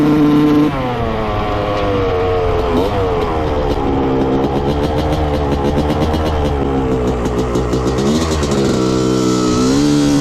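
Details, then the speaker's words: 1995 Honda CR250 two-stroke after setting carb float height to 16 mm: revs climb, fine to quarter throttle, then stutter and break up through mid and upper range; bad bog, owner suspects lean running or float level. "all right the seller wasn't kidding this thing has a pretty bad mid and upper range bog to it you can kind of hear it like breaking up and uh it almost sounds lean to me"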